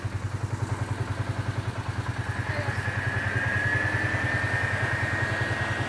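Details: 2018 Polaris Sportsman ACE 570 single-cylinder after full top-end rebuild (valves, stem seals), warm idle near 192–199°F coolant: even beat about three and a half per second, cooling fan whir rising midway; no startup clank or chain rattle, normal healthy idle.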